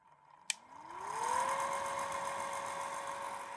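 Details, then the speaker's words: 1960s Morphy Richards HDA2 Bakelite 'Noiseless' hairdryer switched on: a click, then a hum rising in pitch over about a second and settling steady, likened to a refrigerator compressor motor; not very powerful but normal running. "very much like sounds like a refrigerator motor actually with a compressor or my appendix spin dryer right so let's do it it's not very powerful I will tell you that"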